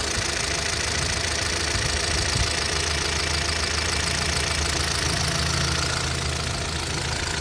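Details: 2012 Chevrolet Cruze LTZ, 229,000 km: steady idle with a dull, fairly regular knock about three per second, said to worsen when revved; a replacement cylinder head failed to cure it; engine to be opened, cause unconfirmed.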